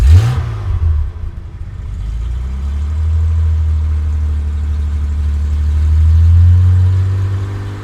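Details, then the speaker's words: Jaguar XK6 inline-six in an old XJ6 donor, possibly old plugs: deep smooth hum rising evenly through a rev and settling back, no knocks or misses, little smoke; runs well before warm-up. "runs pretty good for a ratty old tank so um okay let's let this thing warm up and then we'll do some other stuff"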